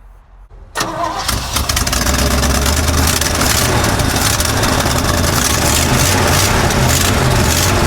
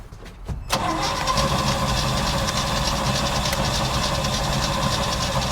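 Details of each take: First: 1955 Chevy dump-bed truck, sat 23 years, running off a funnel fuel setup while old fuel is pumped out: catches after a short crank, steady even idle, no knocks or misses, pressure looks great; normal idle. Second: 1955 Chevy dump-bed truck, sat 23 years, cranked while bottle-fed fuel, old tank fuel foul: a few clicks then steady starter churning near 200 rpm that never catches; suspected crank-no-start with no spark, unconfirmed; oil pressure gauge rising.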